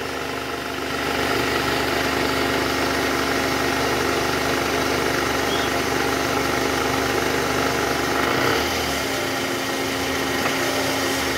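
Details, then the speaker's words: 2009 Toyota Harrier 2AZ-FE 2.4 L before repair, AC on, in R or D with throttle: coarse buzzy rattle from the oil pan area that vanishes with AC off or once hot; balancer shaft found worn and replaced. "AC Off coba [Musik] Bang kalau AC off suaranya hilang guys karena enggak ada beban dari kompresor jadi ini kita ah cek Tadi indikasi dari balancer shf bunyi kernya ini"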